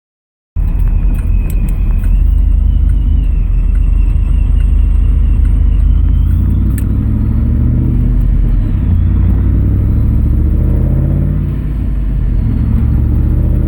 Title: Exhaust leaks are kaput